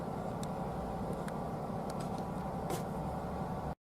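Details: 2014 Jeep Wrangler JK, 3.6L Pentastar V6, after oil pump replacement, idling with no leaks: smooth steady hum with faint even tick, no knocks; runs as always, though gauge still pegged at 99 psi and P0520 remains; sending unit now suspected.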